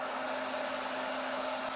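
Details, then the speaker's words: Oil-lubricated Apollo dental air compressor (single-head Copeland): after shutoff the purge air bleeds down to 0 with 100 PSI tank; even airy hiss over a low steady hum, normal purge bleed-down. "Alright, so here is our Purge air, which is going down. Alright, so that's our Purge air."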